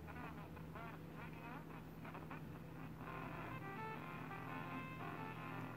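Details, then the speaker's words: 1931 RCA P31 battery portable radio under repair, small antenna coil only: picks up a station, but the audio is faint, garbled and terribly distorted; owner suspects the stiff volume control. "so it does seem to be you know picking up station it's just the audio is terribly distorted"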